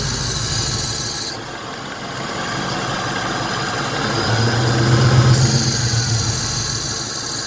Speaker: I think the compressor is messed up so I'm gonna have to take it to Rivas again because it's surging like this